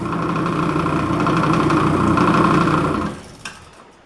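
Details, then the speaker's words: 1980s Taiwanese Rexon drill press on its compound low speed: loud, steady whirring hum with a rough gear rattle at low spindle speed, then spin-down. Noisy but running normally. "Uh let me crank it up. You can see this sucker runs very slow. It's noisy as hell, but it runs and it's good."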